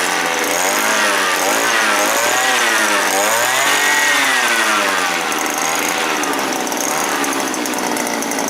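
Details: Small engine on an earth auger that started hard and died when revved, after carburetor replaced with a sprayer-type carb: now buzzes high and revs up and down cleanly without dying.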